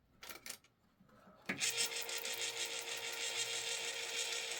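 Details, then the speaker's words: Spare electric can opener running with its housing open: a couple of handling clicks, then a smooth, steady high-pitched whir with no grinding. It runs normally, with no burning smell. "yeah this one feels a lot better yeah I don't smell anything it's not close to burning out"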